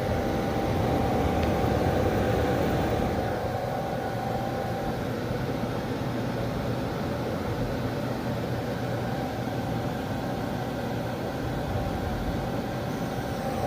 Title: 6000xp making squealing noise